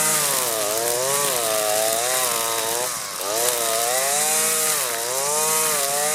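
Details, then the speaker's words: Husqvarna 525L string trimmer at full throttle plunged into the thickest pond-edge grass: high two-stroke wail dipping briefly as it bogs then recovering; healthy, normal running under load. "that's actually the thickest stuff that I've done so far with this trimmer and I think it did really well you could probably hear it getting bogged down a little bit but that's because I was just plunging it in all the way"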